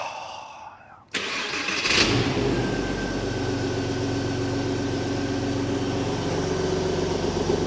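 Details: Early 2.5 Porsche Boxster 986 after air-oil separator job, six new spark plugs, vacuum test and throttle body clean, first start before oil change: brief crank, engine catches cleanly and settles into smooth, even idle; healthy start.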